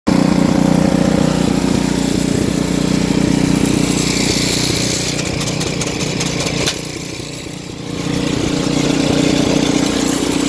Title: Weird noise snow blower